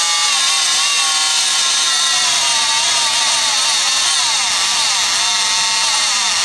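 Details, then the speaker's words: Rockwell Sonicrafter oscillating tool after replacing a cracked resistor in the speed control circuit: loud shrill buzzing stays high and wavers, can't hold set speed; speed control still not regulating, further faults suspected. "still moving pretty fast but uh I can't hold it I don't really know what it's supposed to act right but it yeah that's probably not normal"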